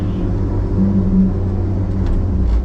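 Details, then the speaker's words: Loader back in service after a fire, not pulling properly; something in the hydraulic system is growling. Steady low rumble and droning buzz the owner can also feel, which he suspects is a rotating part like a bearing (unconfirmed): a growl from the hydraulic system. "I got something growling on this thing here. I'm not sure what it is. Something is growling on this dude. I don't know if y'all can hear that or not. I can actually feel it."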